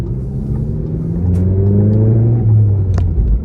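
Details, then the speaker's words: 2017 VW Golf GTI, 55,000 miles, manual, Unitronic stage 2 tune, catted downpipe, stock exhaust, 337 hp: heard inside cabin while driving, low drone with sharp cracks on overrun; normal pops and crackles. "as you can hear there's not a whole lot of them inside the cabin but you can hear it which is pretty cool"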